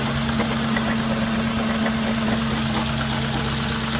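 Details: Audi S4 B6 at cold idle: a sharp, slightly uneven metallic knock, roughly two per second, over a steady engine hum; engine knocking at cold idle.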